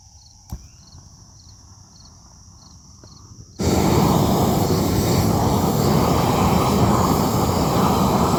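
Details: New upgraded weed torch turned up to full flame: quiet start, then sudden steady full roar holding without sputter or surging; burning cleanly, good flow, no problems unlike the previous torch.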